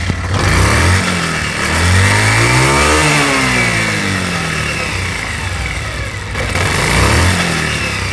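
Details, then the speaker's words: Pulsar motorcycle after a new gearbox was installed. Shifting is smooth, and revs rise and fall with a clean whir; the earlier grinding and rubbing is gone and the gearbox sounds healthy. "আগের মতো ঘষঘষি সাউন্ডটা এখন আর নেই। তো এখন আপনারা ইঞ্জিনের সাউন্ডটা শুনুন। সাউন্ডটা আশা করি আগের থেকে অনেক ভালো হয়ে গেছে।"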